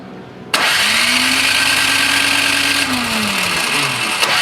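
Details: Toro Power Clear 621E snowblower, 163 overhead-valve four-stroke, found discarded, water in fuel, carb apparently leaking: starter whirs steadily about three seconds then winds down with no firing pops; cranks but won't start, cause not confirmed.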